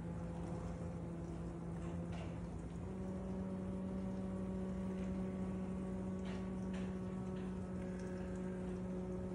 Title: My noisy kitchen aid dishwasher makes me cry KDFM404KPS